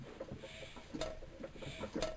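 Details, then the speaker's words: Amanco Hired Man stationary engine, head just refitted with a homemade gasket, hand-cranked slowly with the exhaust valve not operated: soft, evenly spaced clicks from the atmospheric inlet valve each stroke; tons of compression, healthy. "There you are, so I should think you could hear that working there. And of course, if you turn the engine on to compression, just hear the exhaust works there as well. But she's got tons of compression."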